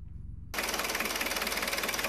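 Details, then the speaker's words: Diesel after repairing the broken wire from the alternator: cranks quietly, settles into fast even clatter at slightly raised idle under loud hiss; runs healthy, charging voltage checked. "okay as you can tell it's running so what we're going to do now is check charging system voltage"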